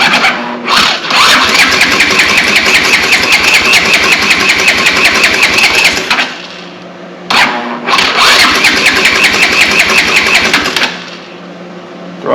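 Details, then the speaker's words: Honda TRX200X, previously seized, freed with Seafoam, first start on starting fluid with choke open: catches and revs high and steady for several seconds then dies, restarts with throttle hanging open, slight top-end valve rattle; engine firing, throttle stuck open. "all right guys that's uh it's it's not right but it's fun and it's running and uh it's actually running"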